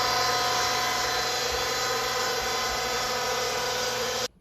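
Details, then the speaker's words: Vertical well jet pump just after its seals were replaced, mounted higher than the tank: a steady hissy motor roar that never changes, then a sudden cutoff. The pump runs without catching prime. "wait and see if it's going to catch up doesn't look like it"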